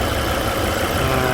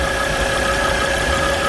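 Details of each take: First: Volvo C30 petrol engine idling after repair of a whistling noise: smooth, steady idle hum with even tone, no whistle or knocking; the previous noise is gone and the work appears successful. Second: Volvo C30 gasoline engine at idle: a steady high whistle of two or three fixed tones that earlier repairs didn't cure; traced to a failed PCV oil trap (crankcase breather).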